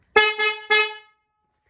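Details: 1977 Chevy Camaro during restoration, horn check: three loud, clean honks with a strong, steady two-note tone, then a softer blast; the horn sounds strong and healthy.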